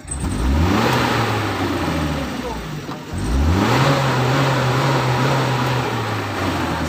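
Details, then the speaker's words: Fuel-injected Futura with check-engine light on, long cranking before starting and low power loaded or empty; revving climbs unevenly, wavering and stumbling above about 2000 rpm as if short of ignition and fuel, then holds rough and fluctuating. "itu ya jadi gasnya tidak normal temen-temen ya Jadi nyendat-nyendat"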